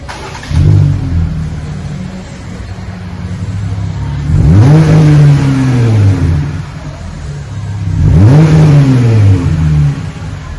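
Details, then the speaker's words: 2020 Jeep Gladiator, 3.6 V6, after the factory muffler was replaced with a single-chamber V-tube muffler; resonator, manifolds and factory cats kept: two clean blips into a deep, even drone with no rattles. Normal exhaust note. "Okay, we have replaced the factory muffler now. The resonator, put a V-tube, a single chamber V-tube on it."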